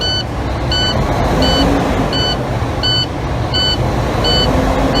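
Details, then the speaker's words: Truck diesel revved lightly in neutral with brakes applied after the air tanks were drained, to build pressure faster: a repeating high beep, about three per second. The low air pressure warning stays active below 60 PSI. "As you can hear and see, I'm getting warnings because I have low air pressure."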